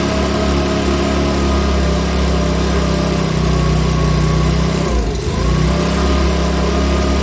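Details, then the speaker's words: Makita BHX2500 four-stroke leaf blower, after valve clearance and timing check, NGK plug checked, airbox off: idles with steady drone, then sags and stumbles briefly before recovering; rough running, owner reckons it needs a new carburettor. "all right folks so that's running now so we're it's running but here i reckon it's gonna need a new car on that"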